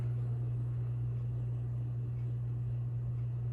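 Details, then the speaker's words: SMC/Galleria 30-inch hugger ceiling fan, new out of box, factory medium speed, enclosed install spot that resonates; steady low fixed-pitch electrical hum; annoying motor hum, slightly improved with break-in. "I think it's actually a little bit better now that it's you know the motor starting to break in and you know the rubber Parts have settled a little bit more but it's it's it's definitely still got a hum to it that's a bit annoying"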